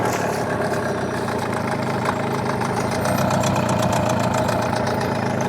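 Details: New Hangkai 18 hp two-stroke outboard on its first backyard test run: steady, low putter at idle, firing evenly without hunting or misses; sounds healthy.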